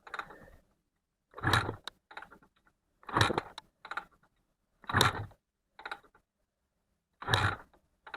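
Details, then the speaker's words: Honda NSR250R-SP MC18 250cc two-stroke grey import, first start attempt of a restoration, carbs filled, ignition, kill switch and choke on: about five kicks, each only a mechanical clatter with no firing. No start, no spark, from dirty kill switch contacts. "I don't think we're in luck. So, let's try Let's take a spark plug out and see if we've got a spark."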